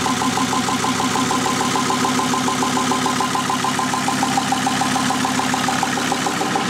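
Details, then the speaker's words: VW T4 Transporter converted from a worn 2.4 diesel to a 2.5 TDI (ACV, 75 kW) with a mechanical injection pump replacing the electric one, run briefly without a radiator. Steady, even five-cylinder diesel clatter at idle with no misses; runs perfectly. "Takže nahrubo to máme složený, motoricky nám to běhá perfektně."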